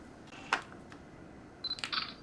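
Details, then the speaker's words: Digital camera, untested used unit, manual pop-up flash: crisp shutter click, then a quick flash whine and soft clicks as it fires; camera and flash work normally. "There we go. Okay, flash fires, and the pictures are turning out good."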